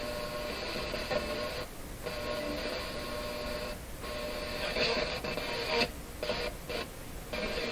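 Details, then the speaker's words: Grundig Prima Boy Luxus radio with an intermittent FM reception problem; audio seems to shut off whenever it picks up a strong station. Broadcast keeps dropping to hiss in half-second to one-second gaps. Suspected bad solder joint despite earlier resoldering. FM audio cutting out. "it's almost like it shuts off every time it picks up a strong station that sounds crazy"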